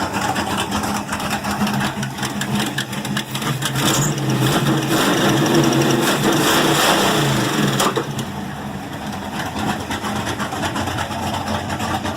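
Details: Ford Maverick, 1990s HO block, Ford Racing flat-top pistons, ported Boss 351 heads, 276 Comp hydraulic roller cam, four-barrel, open exhaust: deep loping idle thump, rising briefly with a throttle blip then settling; healthy.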